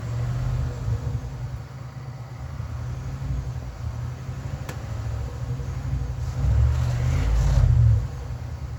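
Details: Cold start attempt on 1967 Mercury Park Lane, 410 Ford FE engine, on jumper cables: heavy sluggish cranking about four beats a second, never catches; weak battery and possibly inconsistent spark suspected, not confirmed.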